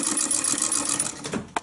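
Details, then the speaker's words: Hand-cranked 1920s Pathescope 'Baby' home cine projector, with a mechanism based on the 1890s Lumière cinematograph: light mechanical chatter and intermittent clunks that are the mechanism's normal operation, not a fault. "That clunking noise that you can hear is part of the mechanism. Not an error or mistake or problem."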